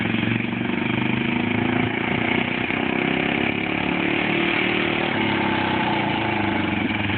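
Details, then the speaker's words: 1957 Cushman Iron Eagle single-cylinder after an ignition timing fix at the stator plate: lively, steady, crisp beat with no stumbling or flat spot. Engine pulls and runs healthy. "idea where it's where it's running degree wise but um it's running fantastic now"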